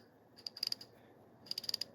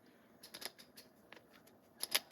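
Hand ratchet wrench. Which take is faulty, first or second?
second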